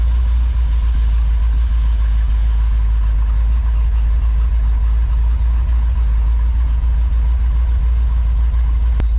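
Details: 1982 McLaren Mustang (Fox body), left sitting about 30 years, running after a fuel line leak was fixed: a deep, steady low rumble with an even beat around three per second and no knocks or misses, a healthy settled idle.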